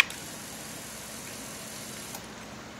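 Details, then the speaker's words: 1.3L four-cylinder from a 1999 Suzuki Swift (113,000 miles) for a hovercraft, before cranking: faint steady high whir of the fuel pump priming for about two seconds, then a clean cutoff; normal. "I'm going to fire it up you hear the fuel injection pump start"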